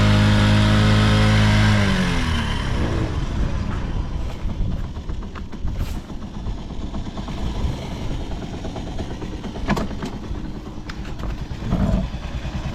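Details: Vintage Honda Jorcub scooter (AF53-1000) running check, engine free of abnormal noise and quiet; picks up cleanly from high rev and settles to an even steady putter, no knocks or rattles, healthy.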